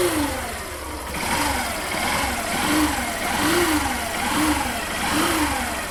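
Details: 2019 Yamaha Factor 150 single: a buzzing whine rides over the engine beat, swelling and fading as revs rise and fall roughly each second; the cause was a faulty stator, and the problem was resolved.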